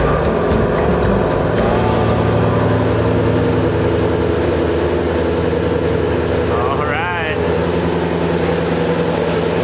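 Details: 2016 Ford Mustang GT350R with front-end damage, after bypassing the leaking oil cooler lines: deep, steady V8 idle with an even lope and no knocks or rattles; no oil leaking, engine sounds healthy and settled.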